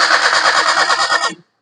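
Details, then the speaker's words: Maruti Suzuki Alto that died while driving: starter cranks the engine evenly for about a second and a half but it never fires; battery and starter motor fine, cranks but no start, fuel supply to be checked next. "അപ്പോ നമ്മൾ crank ചെയ്യുന്ന അവസരത്തിൽ correct ആയിട്ട് engine കറങ്ങുന്നുണ്ട് ബാറ്ററിലോ കാര്യങ്ങള ഒന്നും കാണിക്കുന്നില്ല starter മോഡറോ വേറെ പ്രശ്നങ്ങളോ ഒന്നും കാണിക്കുന്നില്ല"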